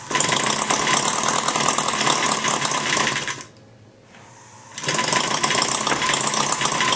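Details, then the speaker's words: Maier TA4 after tuneup, warmed up, taking almost nothing to run: fast, light, even clatter about three beats a second, a short lull, then the same rhythm; normal warm running. "it's a nice little idol there you know it's running real uh firing every time when you can get a title now you take almost nothing to run it after you get heated up"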